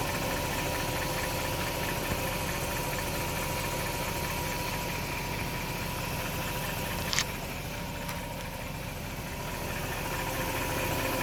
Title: Bmw e39 540i strange noise!